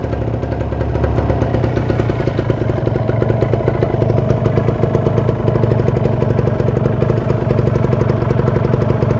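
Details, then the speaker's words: Kawasaki Ninja two-stroke, checked before purchase, engine initially cool, revved above 2000 rpm then at fast idle: crisp, rapid two-stroke buzz, smooth with no knocks, rattles or misses; normal, healthy engine. "udah cukup ya Jadi ya suaranya halus tanda terlalu kasar ndak kasar gitu"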